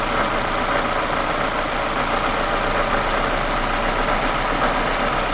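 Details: Supercharged Mazda MX-5 NA6 after service altered the idle screw: loud, uneven idle with rough knocky edge; rough idle from misadjusted idle screw.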